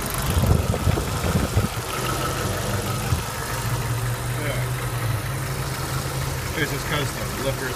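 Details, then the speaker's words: 1993 Jeep YJ 2.5 L four-cylinder, 360,000 km, oil pressure over 30 psi, at idle: light, quick ticking over a low rumble. Owner suspects worn lifters but is unsure. Ticking at idle. "lifters were worn out. I think that's what that noise is. Could be wrong though."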